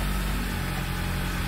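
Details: Dodge Caliber being repaired for power loss and stalling, fuel pump feed from the TIPM fuse box; after restoring power, steady low hum with an even, unchanging idle and no knocks or misses, although the stalling later returned.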